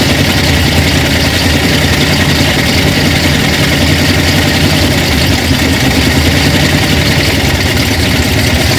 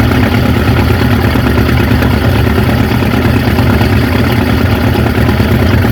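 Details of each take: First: 1950 Ford F5 truck, flathead V8, sat over 20 years, first start: loud even rumble steady for ten seconds, no misses, knocks or rattles; idles smoothly, oil pressure unknown. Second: 1950 Ford F5 flathead V8, 53,065 miles, sat over 20 years, first idle on a temporary fuel tank: low, slightly uneven tickover about three beats a second, no knocks; smoking, rings probably need to reseat; good oil pressure.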